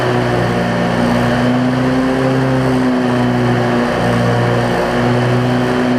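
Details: Cub Cadet zero-turn mower with Briggs V-twin, previously running rich with wiring, charging and governor issues, started after tightening a part that had wiggled loose; steady loud drone with slight pitch waver, "doing a little dance"; normal running, owner thinks it's fixed.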